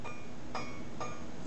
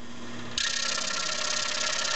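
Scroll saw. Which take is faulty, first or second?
first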